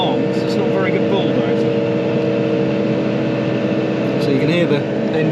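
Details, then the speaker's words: Tractor driving a power harrow at full depth, creeping slowly through a choke point: deep diesel drone holding low revs with strained heavy note and occasional groan; engine labouring under load. "engine groan now and again."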